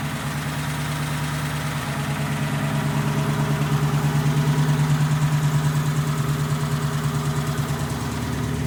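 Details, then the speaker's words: 1932 roadster's engine on its first start after work, starter weak on low voltage: low, even chugging idle at about three beats a second with no misses or knocks; running well. "Anyways, it's running good. I really didn't have to do a whole lot to it."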